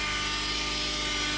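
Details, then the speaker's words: 2008 Honda Accord (8th gen), 2.4 L four-cylinder, idling: loud steady high-pitched whine under the hood, louder near the power steering pump, which vibrates with it; the pump was low on fluid. "So, so I was kind of thinking, hey, power steering pump. That was just kind of, you know, cuz that's what they sound like."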